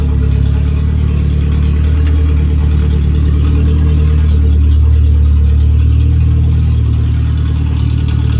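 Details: 1959 Mercedes body on an '87 Thunderbird Turbo Coupe chassis, after fixing the earlier misfire and backfire. Deep, steady four-cylinder idle with an even pulse and no pops, stumbles or backfires. Runs cleanly.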